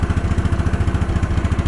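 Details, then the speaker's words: Case 444 tractor forgotten behind a barn, first start with jumper pack, choked, fuel in bowl, shroud cleared of mouse nests; crisp even single-cylinder beat under light throttle, no misses or knocks. "wow how about that give her a little throttle wow"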